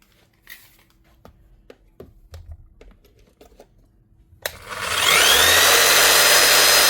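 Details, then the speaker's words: Power tool dead from a disconnected wire pulled out, brushes well used, after reconnecting: motor spins up to steady even high whir with no stutter, light brush sparking; runs normally. "Just that simple. Wonder if somebody's just playing a joke or something. Not even sparking that heavily either. Nothing wrong there at all."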